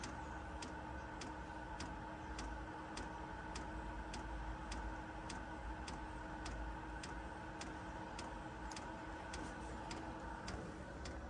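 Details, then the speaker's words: 2 kW Chinese diesel heater in a 1997 Mazda Bongo Friendee diesel showing an E-07 code: steady pump clicks about 1.5 per second over a quiet fan hum with no burner roar. The chamber is flooding, raw fuel smell, and it isn't lighting. "it's flooding itself right now it thinks it's running I can even smell I can even smell the fuel now the raw fuel"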